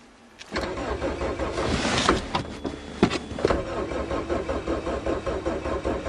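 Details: Geo Swift with stale fuel and a hacked ignition, March cold start: the starter spins in an even churn with the fuel pump audible and the odd pop, but it never catches; cranking no-start, cause suspected.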